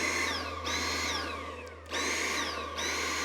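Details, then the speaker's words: Dyson V8 cordless stick vacuum on a Milwaukee battery adapter, with a different vacuum head: motor whine sags in pitch and loudness then snaps back about every second; surging, cause unknown. "I'll play a bit of the footage and listen to what happened it started what I would call surging have a listen to this nice okay that's not expected"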